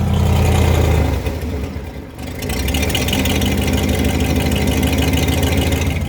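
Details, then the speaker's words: 1990 Ford F-150 V8 at idle: rapid puffing tick over the low rumble from an exhaust leak at the manifold, probably also the donut flange. "but you can hear that exhaust leak coming from the manifold it's also it's probably a mix of the manifold and the donut flange"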